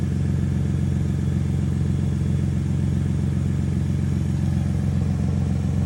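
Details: Cold-start idle of a Lexus GS300 with 2JZ engine and an exhaust leak: loud, raw low rumble with a fast, steady puffing beat about two and a half per second.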